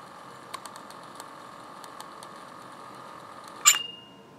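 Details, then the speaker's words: Early Monske & Co. Minifon Mi51 pocket wire recorder (1951–53) with a mechanically governed, speed-adjustable motor, heard through the camera's built-in mic: a quiet, even high whir with light ticking, then a sharp swish and click on stopping; normal operation. "one thing I want to illustrate is the sound of it operating let's listen to the sound of the operation of the Monk"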